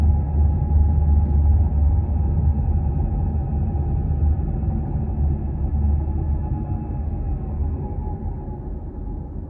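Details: Nissan X-Trail T31 while driving: steady low road drone with a faint continuous whine above it; owner suspects the CVT transmission or wheel bearings.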